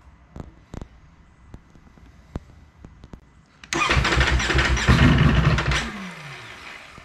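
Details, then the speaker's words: 2019 Ducati Panigale V4 S after about a week sitting, cold hard-start issue. A few scattered clicks, then about two seconds of cranking that dies without catching; cold no-start, root cause never found, avoided by keeping the battery charger connected. "so no start turn it off wait five seconds turn it back on"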